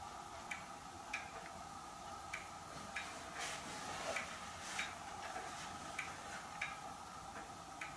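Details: Hermle weight-driven grandfather clock movement on a homemade leveled test stand (F-350 rotor disc base), pendulum just fitted; light crisp ticks at roughly ninety-five a minute with an even beat, running properly.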